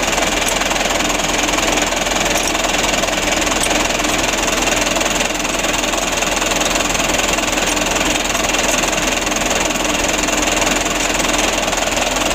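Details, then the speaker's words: 2008 Mitsubishi Canter 125 diesel at idle after adjustment/tune-up that fixed shaking idle: steady even clatter, roughly three to four beats a second, no stumble or miss; running smoothly. "debrur untuk penyetelannya sutelo ini sudah sama-sama kita lihat ya alhamdulillah untuk hasilnya seperti ini"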